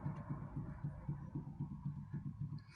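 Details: 1996 Honda CR-V RD1, dull rear suspension knock: evenly spaced knocks about four a second as the stabilizer bar is rocked, loose in worn body-mount bushings; end links also worn, later replaced and bushings shimmed.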